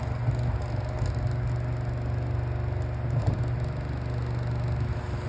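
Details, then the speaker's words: Found electric fan with damaged blade, missing the cover that holds the blade in place, before repair: steady low hum with uneven rattling flutter, blade vibrating and moving on the motor shaft; imbalance vibration. "now it works but it's making a lot of noise and vibrating on the shaft"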